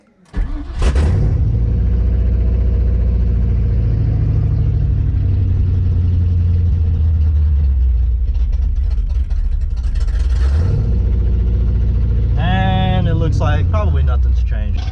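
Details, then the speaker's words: 1995 Ford Mustang GT V8 after installing O2 sensors: fires, flares, then sags to about 1,000 rpm, wavering and chopping instead of holding steady. Usual idle; owner suspects a vacuum leak, not the O2 sensors. "this is how it usually idles whenever it call coms down it'll it'll go down to about a th000 and then just sit there and chop"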